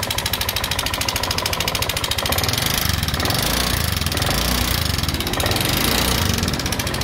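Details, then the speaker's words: Honda Vario 125 injection scooter engine at idle: fast, regular metallic ticking over a harsh, uneven single-cylinder note; rough engine noise, cause not yet found before teardown. "Nah di sini ada motor Vario 125 nah ke dalam motor ini suaranya kasar Mari kita cek"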